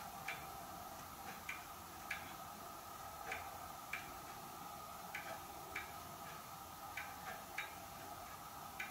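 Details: Hermle weight-driven grandfather clock movement on a homemade test stand (Ford F350 rotor-disc base, 2x4 post), just levelled, pendulum fitted: crisp, light, steady ticks with no scraping or hesitation; normal ticking.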